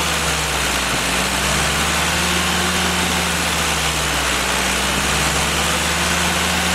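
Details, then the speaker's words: Willys F-134 F-head four-cylinder, fresh rebuild (NOS tappets and timing gears, new pistons, bearings, valves) on engine stand, first start-up; steady even idle under loud cooling-fan hiss, fires cleanly; normal idle. "okay guys fired right up I took a second to set the timing 5° before top deed Center"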